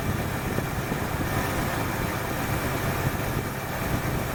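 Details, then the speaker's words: 1968 Ford Fairlane with a flooding carb: steady, fairly even low-rumble idle, now smoother, a slight miss possibly remaining; it had run way rich for too long, and a line had been hooked up backwards. "this is the end that should have gone into the exhaust manifold so she's got a mess or two from running way rich for way too long"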